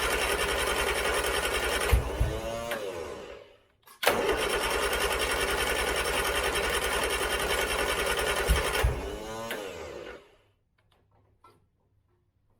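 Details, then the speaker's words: 1970s Turner Ranger tractor, 1098cc A-series Mini engine, weak battery with a jump pack attached, some throttle: the starter turns steadily in two long bursts and the engine never catches; hard starting, fouled spark plugs suspected. "this is the problem I have it's always been difficult to St so I'm actually going to stop there I bet that my spark plugs are foul now because of that"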